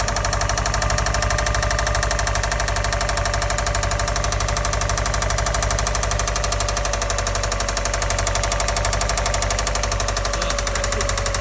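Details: 2004 Subaru WRX, original EJ205 turbo engine, parked warm at idle: steady, rapid knock over the exhaust pulse, worsening over ~36 hours; first thought an exhaust manifold leak, timing tensioner check didn't change it; cause undetermined.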